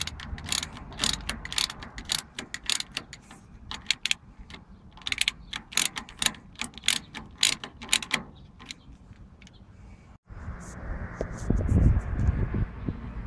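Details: CAT/Perkins 3054C diesel on a wood chipper, unrun three years, after filter and fluid change; battery cables badly corroded, battery flat: sharp clicks about twice a second for ten seconds with no cranking; starter fails to turn the engine over.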